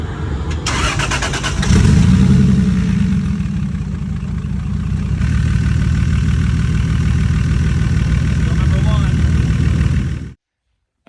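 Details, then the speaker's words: V8 drag car cranks, catches and settles into an uneven, stumbling idle; persistent misfire appeared after a burnout, unplugging coil on cylinder one doesn't change rpm, so that cylinder is dead; owner suspects a failed coil or injector, cranking sounds normal. "we started unplugging coils and found number one is not does not change the RPM whenever we unplug it"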